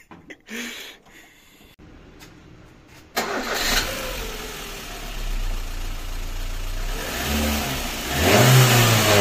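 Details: VAZ 2110 engine starting and revving with heavy low drone; strong vibration and knocking into the body, linked to a stiff engine mount, with a mismatched Priora stabilizer and worn suspension arms also rebuilt.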